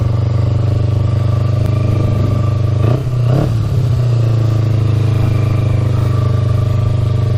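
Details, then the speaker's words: 2000 Kawasaki Ninja 250 with Yoshimura pipes, just started (finicky start button, fuel on reserve) and warming up before a ride: steady low burbling idle with even beat, brief blip around three seconds; normal warm-up idle. "Let her warm up for a bit. Sounds pretty good now."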